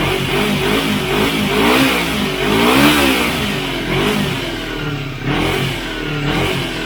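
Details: Motorcycle after a second carburetor cleaning with a home-made cleaner (cables not yet fitted; it previously died on quick throttle): idles and takes repeated throttle blips, rising and falling smoothly without stumbling or dying; normal revving.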